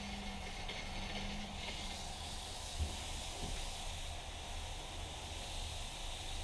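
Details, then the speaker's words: RV being de-winterized, pink antifreeze flushing from the faucet: irregular hissing and spitting as trapped air clears the water lines; normal air purge. "There's going to be a little bit of air bubbles when you first start."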